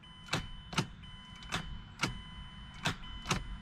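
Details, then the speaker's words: 2006 Mazda 6 V6 automatic: sharp single clicks every half second to second with no cranking, as the starter tries to engage but can't; failed starter motor. "and if you listen closely you'll hear that the starter wants to engage but it can't"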